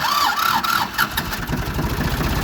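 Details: Ford 2600 diesel tractor, first start in years after fuel bleeding and priming: short crank, then it catches and settles into an even idle with no misses or knocks.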